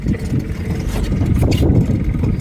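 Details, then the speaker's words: Nissan 5hp two-stroke outboard pushing a jon boat on the lake: a steady buzz that pulls evenly, no sputter or surging, with water splash. Normal running under load. "This thing goes pretty good for five horsepower."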